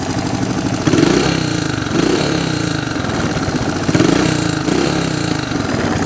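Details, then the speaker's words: 1985 Honda ATC 125M after fixing rod knock by replacing wrist pin and seating oil jackets: small single thumps at steady even idle with no knock or tapping, no smoke; carb may need fine-tuning. "You can hear it's nice and quiet now."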